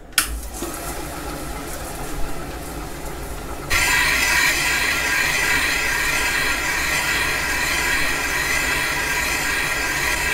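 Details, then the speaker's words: Caterpillar D2 main bearing bore being machined on a lathe with a boring bar, skim cut: steady, even hissing cut without chatter, briefly skipping where the three oil holes are, then cutting cleanly to the end. "sounding good we're hitting that skip again where those three oil holes are okay we're past the skip so we just finish on out here"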